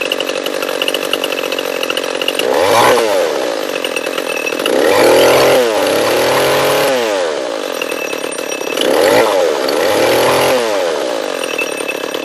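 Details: Echo CS-341 chainsaw, new carburetor fitted by owner but still ran poorly, now after carb high-speed tuning and bar and chain install: revs up and bogs a little into cuts, clean crisp pitch, no choked burble; running good.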